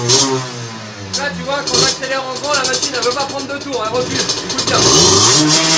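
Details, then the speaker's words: 17.5 mm carburettor two-stroke on a test bench with oversized 210 main jet: revs climb and fall unevenly with soft burbling note instead of crisp crackle. Rich running from oversized main jet. "voilà on sent que c'est trop riche"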